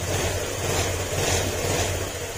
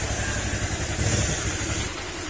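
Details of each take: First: Honda Click 125 scooter after overhaul; steady even idle putter, no knock or rattle, former ting-tong knocking gone; normal idle, break-in needed for first 500 km. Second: Honda Click 125 scooter engine before overhaul, throttle opened; rough low knocking clatter that follows acceleration; connecting rod knock, fix is replacing whole crankshaft and block set.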